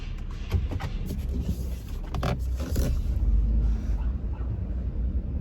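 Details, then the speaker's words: 2009 Ford F-150 King Ranch 2WD on 275/65/20 tires, during a slow low-speed turn near full lock. Irregular scuffing and scraping bursts as the tire catches the bottom inner fender trim, likely pulling off a retaining clip. "it's mainly catching that bottom and actually I think it pulled off the little clip that's holding that bottom"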